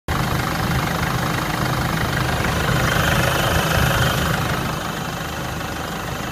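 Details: Jeep Liberty CRD diesel at idle: steady clatter with a faint high whine that swells briefly then settles, cause unclear: engine whine.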